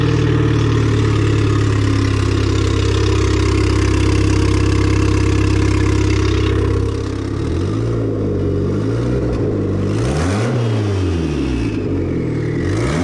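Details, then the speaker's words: Mitsubishi Eclipse (420A) just turbocharged, first fire-up: fires and holds a smooth, even idle, then clean, even blips; runs healthy. "So honestly, it sounds super good."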